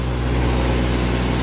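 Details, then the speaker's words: Cheap Ford Ranger pickup just bought, cold start warming up to operating temperature before thermostat check; steady smooth low idle rumble with no engine clatter, normal idle. "so anyway we're going to let it warm up and then uh take some coolant temp readings and see what we got but overall I don't hear any engine clatter so that's always a win"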